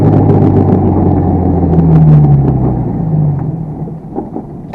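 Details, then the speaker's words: 1992 Toyota Tercel 4-speed manual, 120,000 miles, driving after a bump; the fitted axle has no boot and slides around. Rough rhythmic knocking, three or four a second, over the engine drone; CV axle noise. "That's the axle. It's the axle that's making that noise."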